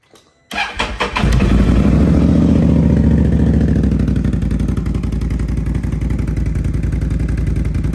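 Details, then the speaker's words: Can-Am Outlander 1000 ATV with 22,000 miles and an aftermarket exhaust pipe: cranks, catches within a second, then settles to a deep, steady, even idle with a throaty pipe note and no knocks. "a sounds like an Outlander with a pipe going to uh get the body put back on and then hopefully be able to ride it a little bit maybe go from there"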